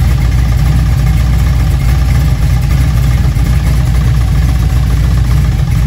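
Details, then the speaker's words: Junkyard LM4 aluminum 5.3 LS V8 on a stand with a Tick Performance Street Heat Stage 2 cam (229/235, 111+2, +10° overlap vs stock -37°). Loud, deep idle held fairly high with a faint lope; the owner thinks the idle isn't dropping low. "what I was noticing is I don't think it's idling down very far which is why we really can't hear a lot of lope but it's also really loud so it's pretty hard to tell"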